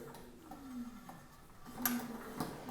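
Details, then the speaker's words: XF650 bicycle, wheel lifted and spun during pre-ride brake adjustment: freewheel ticks slowing while a faint scrape comes round each turn as the disc rotor rubs an off-center caliper, worse after tightening. "and it's rubbing a little bit more now which means so usually it gets it pretty close when you do that but you usually have to make a few more adjustments"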